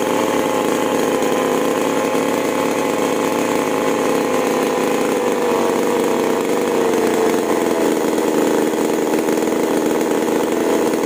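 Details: Chainsaw with the carburetor freshly tuned (H and L screws, H adjusted at full throttle until surging stops) is tested cutting wood. It holds a steady high scream and dips only slightly under load, which is normal running.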